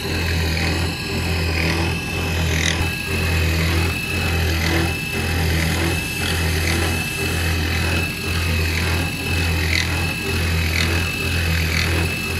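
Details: Modified CNC1310 router with stepper motor encoders added, machining steel: steady low drive hum with cutting passes about once a second, free of chatter or stalling; smooth, stable cut.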